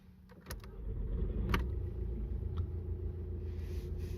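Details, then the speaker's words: Warm start of a BKD diesel engine (Audi/VW/Skoda/Seat, Audi A3) with temperature gauge mid-scale, after replacing the starter: short crank, then it catches promptly and settles to a low steady idle, no longer taking ages to crank. "looks like he started better he he sounds like he's still struggling there but Evelyn yeah he looks like he's better you don't take ages to crank like before"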